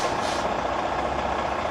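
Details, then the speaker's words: Tractor-trailer truck idling during pre-trip inspection, glad hands disconnected, spring brakes released and full brake application held: steady idle with no hiss of escaping air; tractor protection valve working properly. "here no air leaks from coming from the disconnect glad hands tells me that my tract protection valve is working properly"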